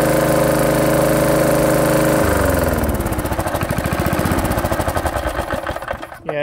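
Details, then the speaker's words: Knocking 1970s push mower with 3hp Briggs & Stratton single-cylinder engine, auto choke, full throttle: runs then slows into heavy knocking beat; really bad rod knock, believed to have caused the sheared flywheel key. "it's got a really bad rod knock on it it might run for a long time like that uh but i want to fix this thing right i believe the rod knock is actually what caused the flywheel key to shear"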